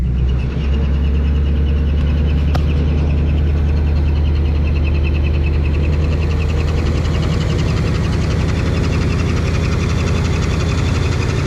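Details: Lexus ISF with newly fitted used supercharger, first start with belt on: loud, lumpy idle with an uneven knock about 1.5 beats per second, knocking from the supercharger; rough idle.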